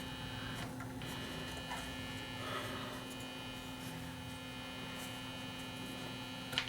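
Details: Marconi 238 vintage tube radio under repair: steady low electrical hum under faint hiss, constant pitch, heard from what seems the phono input; mains hum suspected, not confirmed.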